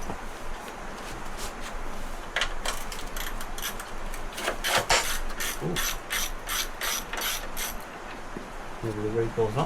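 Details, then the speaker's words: Wacker Neuson VP1030 plate compactor bought used, pulled over in rain: bursts of irregular ratchety clicks at each pull, recoil starter not catching cleanly and needing sorting; engine not seized. "we'll have a look it's it does pull over so it's not seized"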